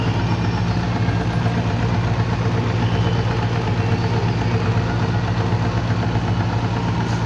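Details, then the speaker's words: Single-cylinder motorcycle after an engine rebuild, valve clearance set to 0.05 intake and 0.06 exhaust: fairly quiet, even idle with only a light mechanical rattle left, since the timing gear and idle gear were not replaced. "Okay mga boss amo yan medyo tahimik na yung andar ng ating ginawang motor Hindi lang natin naperfect talaga ng sobra dahil nga hindi naman tayo nagpalit ng timing gear idle gear pati yung sa caml"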